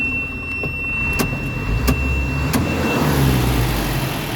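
Steady diesel idle with a few light ticks and no squeal from the belts; the engine sounds even and settled.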